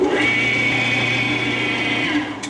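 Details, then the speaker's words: Woodworking lathe electric motor with faulty running capacitor, switched on briefly with ammeter on the supply line: strong steady low hum and buzz, then winds down; draws 13.48 A against a 12 A rating, start capacitor reading normal. "Given that running capacitor is faulty, I wouldn't want to run it very long."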